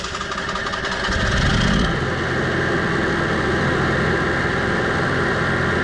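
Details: Onan 5500 motorhome generator that idled rough, died and backfired, started after carburetor cleaning and fuel filter refit: starts fast with a brief surge, then settles to a steady, even drone with no stumbles; running smoothly.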